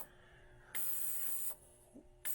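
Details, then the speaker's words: Hornady Sonic Cleaner 2L ultrasonic tank with distilled water and 5.7x28 brass, degas mode, no heat, 20 minutes; airy hiss bursts switching on and off about every 0.75 s over faint hum, air-pocket sounds — normal degassing. "So you can hear it degassing now. It's making little air pocket sounds, which is kind of interesting."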